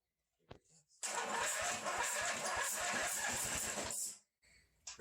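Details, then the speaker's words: 1985 Ford YT 16 garden tractor: starter turns engine over at an even chug for three seconds, never catches; no gas in the fuel line, needs priming. "close that fuel line needs some primer that is better than what it was before actually already there's no gas in the line"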